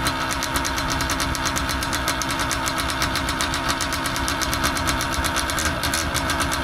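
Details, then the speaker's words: Paramotor two-stroke engine after new carburetor membranes fitted: lumpy uneven popping at low revs, about seven or eight pulses a second, tends to die; owner suspects carb adjustment needed; unflyable as is. "Yeah, just die. Might need to adjust carb. We just put in new uh membranes on there and uh still feels really weird on the low though."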